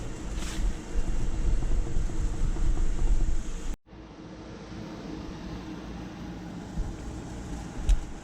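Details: 2005 Nissan Frontier 2WD with a worn left front wheel bearing: a deep, steady road roar that grows louder with speed, especially above 60 mph, and louder in one steering direction, easing when steering right.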